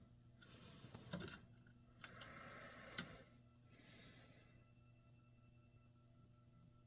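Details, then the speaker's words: Mortal Kombat II arcade PCB soundboard after reprogramming a chip: quiet uneven static hiss bursts and sharp clicks over a low hum, with no game audio; owner needs the correct Jed file. "yep I can hear the chatter from the soundboard I can hear the chatter but yeah that's uh that's what's going on here now"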